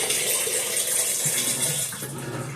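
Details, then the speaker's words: Roper (Whirlpool-made) belt-drive top-load washer that bangs on spin, heard adding water before the final spin: steady hiss of water filling the tub with no knocks or grinding, a normal fill. "you know, it's adding some more water. You know. It sounds pretty good. Yeah. It does sound really good to me."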